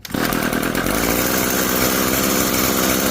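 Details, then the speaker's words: Echo SRM-2320T string trimmer, a curb find, fires after pulling to the pop and runs on choke with a smooth, steady high-pitched two-stroke buzz and no sputter; running normally on choke. "Okay, so it's running on choke. Take it off choke. Sounds like it's got a high speed."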